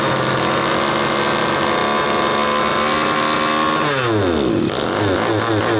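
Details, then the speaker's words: 1/5 scale RC Baja two-stroke, about 8°C, low needle 3/4 turn, high needle closed: buzzing hard at high revs, sagging and picking back up unevenly; engine, clutch and bearings fine, faulty carburetor is the problem, to be swapped. "So the fact that the engine just wants to keep on running means the engine is fine, clutch is fine, running smooth, bearings are fine. Problem is the carburetor, and let me show you."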